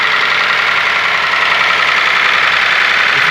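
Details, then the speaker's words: Ford Ka three-cylinder engine idling with a loud, fast ticking clatter, about three or four a second; the top end is running dry, and oil pump pressure is yet to be checked. Valvetrain clatter from oil starvation. "barulho feio, tá vendo, galera? Trabalhando seco aqui a parte de cima."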